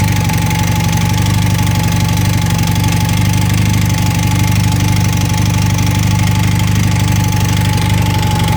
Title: 1980 Honda CM400T engine noise